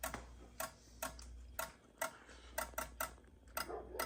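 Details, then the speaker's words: Fire alarm strobe synchronization module driving yellow carbon monoxide strobes after CO detector was triggered in monthly testing; sharp, slightly uneven clicks about once a second over a low quiet hum, strobe monitor and NAC modules active; normal ticking. "Strobe monitor module is active, as well as the strobe NAC circuit module, control module. You can hear the strobe synchronization module running for the carbon monoxide yellow strobes."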